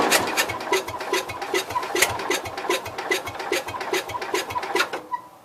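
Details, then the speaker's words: Cub Cadet 122 garden tractor, clutch held down: starter chugs in uneven pulses about two per second, never catching; cranking no-start, owner thinks spark was lost and valves may be leaking. "It tried. Alright. I think we lost spark. Well, kind of seems like the valves are leaking."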